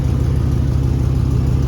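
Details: 2001 Chevy 2500 farm truck on its first start after new fuel lines and purging air; it fired almost first hit, but revving gives deep, tractor-like chuffing pulses that follow engine speed. Exhaust leak, location not yet found.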